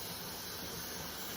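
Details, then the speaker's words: Pressure canner with 7 quarts of pork and beans, lid locked, warming: soft steady hiss as steam just starts venting from the top, not yet noticeable steam, no spitting or surging; normal steam venting. "Now, if you listen, you can hear the steam starting to come out."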